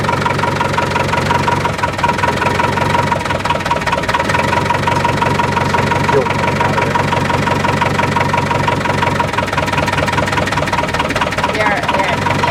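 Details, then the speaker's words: Boat diesel engine after bleeding air from the fuel lines and injectors, following an overheat from a failed impeller: steady, even clatter with no misses or surging. It runs smoothly with throttle on, said to be around 5,000 rpm when running right. "it sounds like that it's pretty smooth actually when you had the throttle on"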